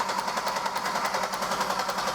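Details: Buick LeSabre with GM 3800 V6, sat a long time: starter spins engine over with steady even chatter but it never fires; spark tester shows spark present, so a fuel problem is suspected.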